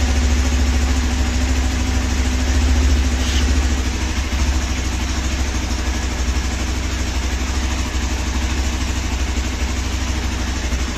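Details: Hero XPulse 200 4V, 4,845 km, cold start after sitting one month with silencer cold: steady, even single-cylinder idle with a low regular putter while warming up; runs healthy.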